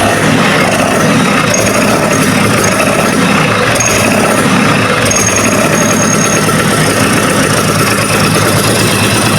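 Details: Vespa PX 150 two-stroke engine, first start after a rebuild for a complaint of hard kick-starting and kick-start gear wear, which the owner blamed on high compression; a loud, even buzz settles into a steady idle with no knocks or misfires: normal idle.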